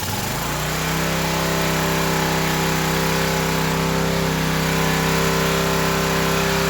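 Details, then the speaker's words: Old Craftsman pressure washer engine, unrun about 10–12 years, after carb cleaner: spins up within a second and holds a steady, slightly uneven drone on choke, dies when choke is removed. "well it's running with choke on and when I take the choke off it's dying it does run so that's a plus for me"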